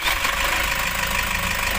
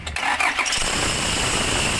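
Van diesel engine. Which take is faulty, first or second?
second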